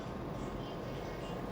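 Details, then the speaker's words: U-Winfly D7 electric bicycle hub motor, after retightening loose power-supply cable connections to the module that had burnt the socket: even, quiet hum with no growl or rough pulsing; the earlier growl is gone. "tidak terdengar suara ngorok lagi Jadi kemungkinan besar diakibatkan koneksi antara kabel catu daya ke modul tidak tersambung dengan sempurna"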